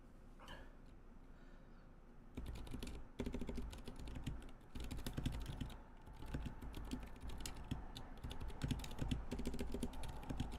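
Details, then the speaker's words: NK65 keyboard with unlubed Zilent switches, before lubing: steady typing about three keys a second, each press with a dry scratchy edge; switches are terribly scratchy and need lubrication. "Yes, so as you hear, it is terribly scratchy, as you can hear. Yeah, and it's not great."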